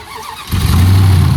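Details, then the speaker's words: Dead Dodge jump-started with a TOPDON JS2000 jump box: short crank, then a sudden deep roar settling into a loud, steady low idle; a noisy but good start. "Oh yeah, fired it right up. A good old noisy Dodge."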